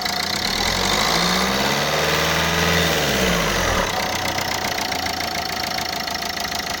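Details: Renault Scenic 2 idling with a steady ticking knock, about three or four beats a second; source unknown, owner wonders whether it is a leaking injector.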